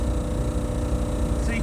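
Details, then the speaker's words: 2008 Ford E350 TV news van conversion, 75,122 miles: the rear air compressor kicks on to raise the mast, giving a steady even hum with no rattles or surges. Normal compressor operation. "You can hear that air compressor kicking on back there. That actually is what operates that mast."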